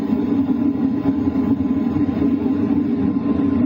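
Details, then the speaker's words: LF Bros diesel heater running in a tent at night, mic near the air duct, switched from 2 kW to 2.5 kW: steady even whir with constant low hum, no knocks or surging; noise about the same at both settings, normal running. "At 2 kilowatt, this is the sound you're hearing. Now I'm switching it up to 2.5 kow. And honestly, the noise is pretty much the same."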